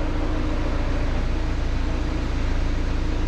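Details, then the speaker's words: Seat Exeo 2.0 TDI diesel at idle, smooth low even thrum with clutch pedal depressed; worn dual mass flywheel's secondary side rattles metal-on-metal, silenced when clutch pressed; flywheel to be replaced by rigid flywheel and new clutch. "cisza dlaczego tak się dzieje że Po wciśnięciu sprzęgła jest cisza A to dlatego że koło dwumasowe strona wtórna po prostu sobie już drga lata i i po prostu hałasuje no metalometal"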